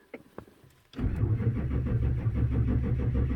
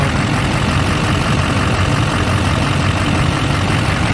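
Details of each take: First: 2004 Chevrolet Silverado 2500HD 6.6 Duramax: slow, even cranking with no firing, fuel rail pressure only 1.4 MPa; cranks no start, fuel system lost prime from a leak in the suction line between tank and engine. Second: 2004 Chevrolet Silverado 2500HD 6.6 Duramax, lost prime from leaking tank-to-engine suction line, after new 1/2" fuel hose and 15 minutes running: deep steady diesel idle, even rhythm, no air bubbles in return line; running healthy.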